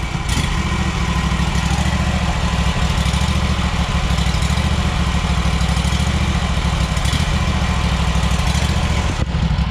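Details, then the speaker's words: Lawn mower idling with a low, uneven, slightly irregular putter heard at the muffler, checked right after shutdown and restart; rough idle, cause not confirmed. "can hear just by the muffler of course it's like a puttering"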